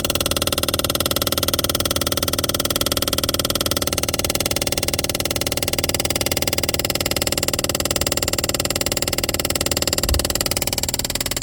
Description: Looking for help with the diagnosis of a strong noise inside the glove compartment of a 2021 Toyota Rav4 Hybrid with only 29k miles, so far Toyota want me to pay to diagnose the problem